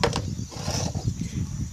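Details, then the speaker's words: Washing machine drain pump bench-tested outside the machine: low, steady buzzing hum with a slight rough rattle, partly from resting against the table. Some noise, but the pump is reasonable and still functional. "ela tá fazendo barulho mas porque está encostado na mesa se eu levantar é o barulho está razoável quer dizer tem um pouco de barulho mas não está destruída ainda funcional"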